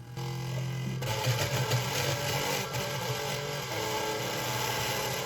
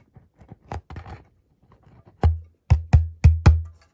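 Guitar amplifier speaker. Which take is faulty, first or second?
first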